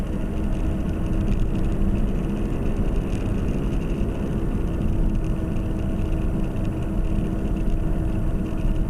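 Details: 2010 Nissan Qashqai, CVT, front-wheel drive, while driving: a steady low hum at an even pitch under the road noise. Right front wheel bearing (hub) hum.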